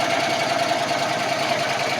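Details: 2014 Landmaster LM650 UTV started without choke: quick, even idle patter with a steady rhythm and no skips or knocks; idling fine.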